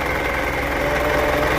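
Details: Isuzu 4HG1 diesel idling with a busy ticking rattle and faint thin whistle; suspected bad alternator, unconfirmed.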